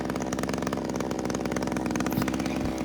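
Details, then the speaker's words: JCB petrol two-stroke hedge trimmer after its fuel pipes were fixed, primed and started in a couple of pulls, warming up. Quick, even, steady burble with no hunting, little smoke. Finding: normal idle. "I'll let it warm up now um just give it a try to show you around it while it's ticking over it's running fine by itself sticking over nicely not much smoke"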